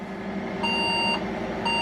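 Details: Old secondhand Saturn server tower, first power-on before cleanup: repeating clear high beeps about half a second long with pauses, over a faint fan hum. It is suspected to be a RAM error beep, cause unconfirmed.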